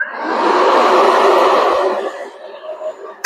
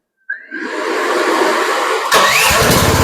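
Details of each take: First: A Chinese mini skid steer starts into a loud, raspy, dirt-bike-like drone. The exhaust has no mount from the factory and runs loose inside the frame, echoing off it. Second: Chinese mini skid steer, key-started: starter whirr, then a fairly smooth, moderate-volume run with no loud rasp; normal running with a quiet exhaust.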